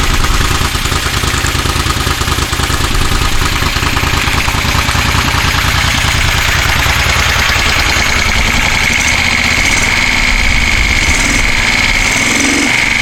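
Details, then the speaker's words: 1973 Moto Guzzi Eldorado, first start in about 25 years after fuel tank coating and carburetor cleaning: loose slightly uneven beat about three pulses a second, faint whistle later; health unclear, throttle cable routing off. "not sure what it's supposed to sound like that doesn't sound too bad"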